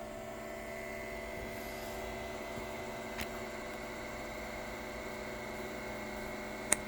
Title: Creality ender 3 v3 ke print head makes loud noise